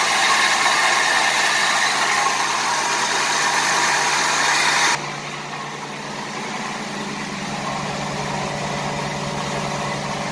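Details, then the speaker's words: 1988 Buick Reatta 3800 V6 restarted after sitting 10 years: idle keeps an uneven stumble of about three per second, still misfiring. Raw fuel was noted; owner suspects an injector, unconfirmed. "yeah it's still misfiring i had a feeling it's probably an injector because of that raw fuel and been sitting for years"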